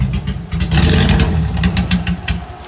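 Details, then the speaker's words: Slightly warmed engine with new injectors, aggressive cam and suspected dead wideband sensor: idle stumbles with uneven popping beats and lumpy surges, then sags and shuts off; misfire at idle causing stalling, owner suspects non-mechanical cause. "Well, it warmed up a little bit, but even at idle, it's misfiring."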